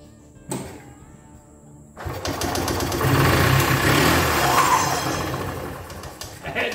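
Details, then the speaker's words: 1983 EZGO two-stroke golf cart, unused for years, belt off, extra grounds added and fuel poured in: fires after about two seconds and settles into a steady, fairly even two-stroke buzz; it cranks and runs. "i don't want to booger it up now that we know those girl will crank and ron"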